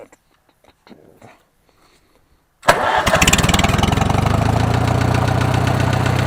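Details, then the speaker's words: Farmall H tractor used for road mowing, knocking since last spring: cranks, catches and idles with a regular knock about four times a second, loudest on one side of the engine, a deeper thump under load; internal cause suspected, not found. "there you hear that that noise and it sounds like it's coming from right in here more on this side of the motor and it gets to more of a deep thumping noise when you get it under load"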